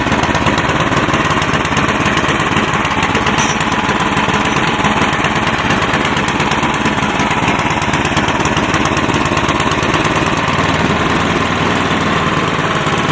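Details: Cub Cadet 1030E snowblower, 10 hp, 30-inch, electric start, in neutral on choke, carb dripping gas: constant fast clatter without surging, misses or knocks; starts easily, no smoke. Normal running.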